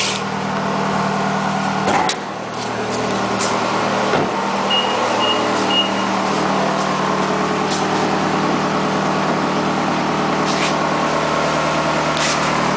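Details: 2008 Nissan Altima 2.5S engine at steady idle: hum with scattered sharp clicks and a faint whoosh on top; abnormal idle noise, source not pinned down.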